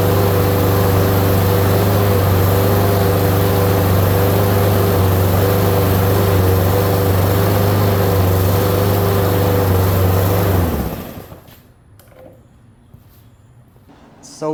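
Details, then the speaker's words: Lawn mower with new Amazon replacement carburetor on first start: steady single-cylinder drone slow to pick up rpm, about 20 seconds, as if starved of fuel, then cuts out; lean running from wrong-size carburettor jet. "It took forever to pick up RPM, like it wasn't getting enough fuel, and I just sat there and watched it."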